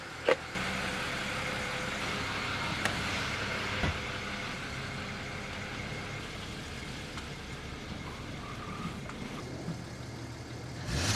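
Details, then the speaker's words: BMW 335i wagon, N54, new quiet exhaust (325 stock system with 335 front section), driving with no check engine light: quiet, even engine under road and cabin noise, no drone or misfire; owner suspects old gas. "let's go ahead and let's take it for a drive while it's running good i guess and you guys can hear it as well"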